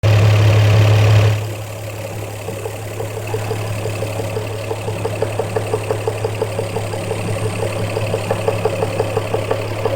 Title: My 1jzvvti engine knock